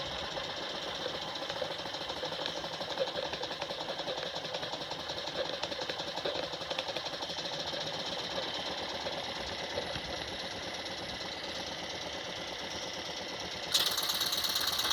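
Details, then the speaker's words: 1979 Jensen Model 50 toy steam engine, governor opening as drag is applied: fast, even light ticking of about three beats a second with a soft hiss. Normal running. "such a nice running engine it's nice and quiet put a little drag on it what that governor open up once"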